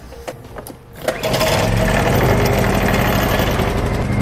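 After a few handling knocks the generator settles into a steady, even hum with no surging or knocking; runs quietly and healthy.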